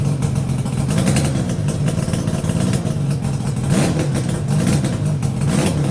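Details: Yamaha RD350YPVS F2 two-stroke twin after full rebuild (bearings, seals, rebore), plugs retightened after being loose on first run; steady low even burble, no knocks or rattles; normal, quiet idle.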